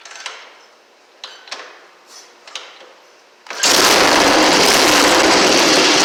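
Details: 1960 Harley Sportster Ironhead, sat since 2010, after magneto/points check, carb cleaned, fresh fuel, timing and points set: several kicks and clicks, then twin catches and runs loud and steady without missing; normal running.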